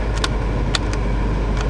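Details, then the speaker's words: 1989 BMW E34 heater blower motor controller on the bench: steady loud rush of air that won't stop even at setting zero and cold; fan stuck on high, control unit suspected faulty. "Now, the problem with this one is uh the fan stuck on high. So, let's start it up and I'll show you. So, it doesn't matter. Control settings set for zero. Doesn't shut off."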